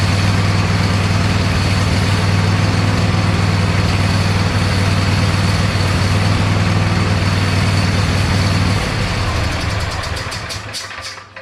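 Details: Neglected Cub Cadet lawn tractor after fitting an Amazon knockoff carburetor, with a little choke: small engine thumps along evenly with no misses, then winds down cleanly; sounds much better than the old carburetor.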